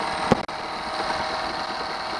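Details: Honda 8 hp outboard after water pump impeller replacement, water pipe to lower unit now connected, thermostat working; steady, even idle after one brief bump at the start, no knocks or misses, running smoothly.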